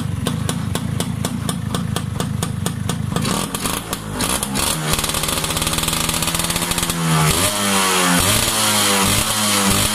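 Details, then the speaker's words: Yamaha Y100 two-stroke after silencer carbon cleaning; crackly ring-ding idle and clean revs, exhaust note denser and less tinny than before, performance not expected to drop. "Tadi dia lagi bising, lagi tang. Ni bunyinya lagi padat. Performance ni insyaAllah tak drop."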